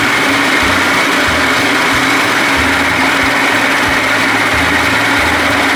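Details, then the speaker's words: 70 hp Johnson outboard on a bass boat, its broken key ignition rewired to push-button start, primer and kill switches. After the primer was pumped, it runs with a loud, steady, even high buzz and no misses: running normally, works great. "Oh baby all right works great"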